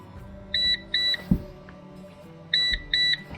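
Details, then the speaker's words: PowerShield PSCRT2000 line-interactive pure-sinewave UPS, battery cable disconnected on AC mains; the battery-disconnect alarm starts about 4 minutes 15 seconds later, with pairs of short, high, clear beeps repeating about every two seconds. "Đúng rồi, báo động vừa được kích hoạt. Lúc đó là khoảng 4 phút 15 giây."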